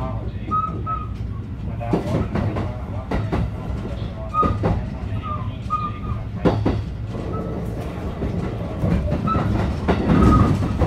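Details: JR Biwako Line 223 series 2000-subseries new rapid train running between Yamashina and Kyoto: recurring thuds over rail rumble and wheel clatter as the train rolls, consistent with a wheel flat.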